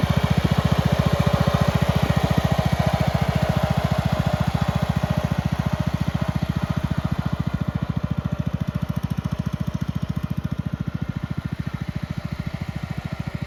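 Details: 1962 Bolens Ride-a-matic garden tractor on an outdoor drive after restoration: steady, even single-cylinder thump holding a clean rhythm throughout with no misses or knocks; engine runs very well.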